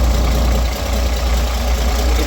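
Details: Roadtec paving machine diesel after exhaust and air-intake checks, air filter ready and new fuel filter, which previously coughed, sputtered and shut down: deep, steady idle with smooth even beat, no coughing or stumbling, no visible exhaust smoke; sounds good.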